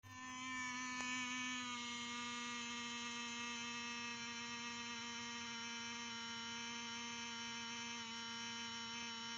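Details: Used Lenovo ThinkPad T450, fine for a month, then random noise: steady high-pitched buzz with sharp tones, no fan rush; owner wonders if fan or coil whine, source unclear.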